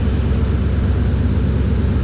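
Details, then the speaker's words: 2003 Mercury Mountaineer V8 idling with a loud exhaust rumble and no belt squeal, after replacing a grooved pulley with a smooth one and refitting the belt; the high-speed squealing noise is gone. "all right so this thing's kind of loud exhaust wise but you can hear uh now all that noise is [Music] gone"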